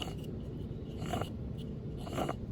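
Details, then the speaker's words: Old macerator pump removed from a Dutch Star RV, compared with the quiet new pump: rough, grumbling rumble with scratchy rasping bursts from worn motor bearings. "you hear the bearings yep that's bad so it's definitely the pump was bad"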